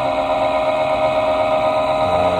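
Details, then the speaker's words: 2016 Goodman high-efficiency furnace inducer motor, first fall firing, heat not turning on: steady mid-pitched whine with a rough edge over motor hum; bearings going bad, owner suspects corrosion, motor needs replacing. "but definitely those bearings are going bad"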